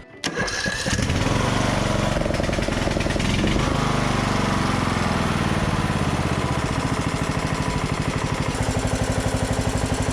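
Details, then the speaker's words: Craftsman DLT3000 lawn tractor, hard to start: with key in run and choke on, the solenoid is bridged with pliers. It cranks briefly, then catches and settles into a steady, slightly uneven run, suspected bad starter solenoid. "Yep this is the same problem that we were having before I think it's a bad starter solenoid"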